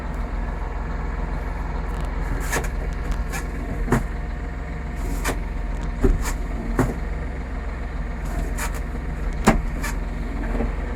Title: MF4708M SMS Geraeusch Getriebe 3 Gearbox Noise Problem Massey Ferguson 4708 4709